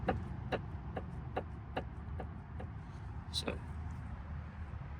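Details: Ford Fiesta front passenger-side inner tie rod with excessive play, boot split, before replacement; sharp hollow clunks about twice a second as rod is rocked by hand; inner tie rod play knock.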